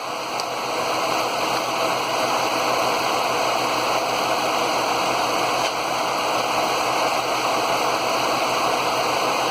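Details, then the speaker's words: 2011 Ford F-150 Lariat 5.0 Coyote V8 idling during coolant bleeding after leak repair (T-connector replacement); thermostat open, hot, cooling fan on; steady even fan rush over smooth idle, no knocks or ticks; normal. "The thermostat is definitely open. She went down and the fan's on now."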